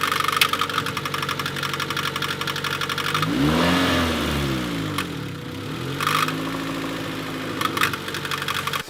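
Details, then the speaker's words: 1996 Honda Civic EK EX, about 190,000 miles, at idle: loud, uneven, intermittent knocking that fades as rpm rises; persists with accessory belts removed, water pump fine; source not yet found, head pulled. "as you can hear it's very intermittent very loud it goes away with engine RPM increasing so we're not quite sure what this could be"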